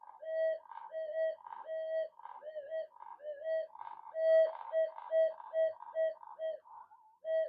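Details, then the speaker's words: Minelab SD2100 metal detector with a magnet held about a metre from the coil: irregular warbling beeps, about one a second. These are false signals, a common fault on these units. "I'm about a meter away from the coil what's what's it doing picking that up what's what's going on here so what I was getting very funny uh stange signals"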